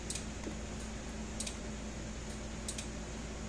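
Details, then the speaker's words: Gallagher S15/S17/S22 solar fence energizer switched on: light flashes about every second and a half with regular sharp pulse clicks over a low hum, firing normally. "all right light is flashing every second or so a little in a second and a half [Music] and i can hear it clicking so that's a good sign"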